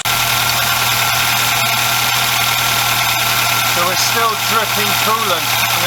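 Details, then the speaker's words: Volkswagen Golf MK2 cold start after a cylinder head gasket job: an even, steady idle with hiss over the top and no knocks or misses. The Pierburg wax thermostat is broken and there is a serious oil leak at the main crankshaft seal. "but we're going to do another cold start today just to make sure everything's still okay"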